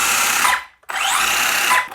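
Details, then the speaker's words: HPI Maverick Quantum2 MT Flux 1/10 brushless RC monster truck after reseating the dislodged input-shaft bearing: two clean high-pitched whirring bursts spinning up and cutting off evenly, no grinding or binding; drivetrain runs freely. "that's better no binding there now what another nice day"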